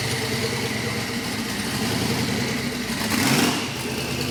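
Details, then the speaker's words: Dave's VK Calais, now running after injector and pushrod troubles, holds a steady fast idle as a loud, deep V8, then takes a clean throttle blip that settles smoothly. Described as not quite supercharged-big-block loud, but loud. Normal running. "it's not quite supercharged big block loud but it's it's loud"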